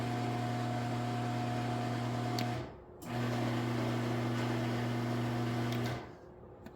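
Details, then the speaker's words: Garage door opener, just after a large spring was replaced; low steady motor hum for about three seconds, cuts out and restarts, door won't open or close; owner suspects a slipping gear or disconnected chain; opener motor runs but door does not move. "I don't know what the heck that is but it sounds like maybe like a gear is like slipping or like the Chain's not connected maybe I don't freaking know but once again my garage door is broken I cannot open it or close it how fantastic"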